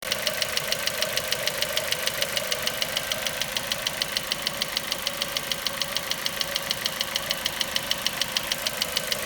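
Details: Ford Mondeo 4 2.0 Duratec HE, 89,000 km, LPG fitted at 70,000 km, idle: sharp light top-end knock about three per second; not valves or swirl flaps, owner suspects petrol injectors; knock vanished revving to 7000 rpm stationary.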